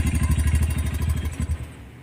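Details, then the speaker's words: Keeway Euro 200cc single-cylinder engine with a third-gear fault, weak pull, burnt clutch lining and very black oil idles with a loose rhythmic clatter before dying; the noisy engine is traced to a worn cam follower. "bababa k makina para malaman kung ano yung sira kung bakit pati maingay ang makina makalansing ito yung tunog niya"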